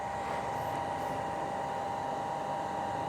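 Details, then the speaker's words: Shimizu PL-122 BIT non-automatic shallow-well water pump (PP plastic body, copper-wound motor), first test run after priming: steady, even hum, no knocks or rattles; runs very smoothly, initially slow to fill then strong flow. Normal running. "Kita coba. Suaranya halus sekali ya."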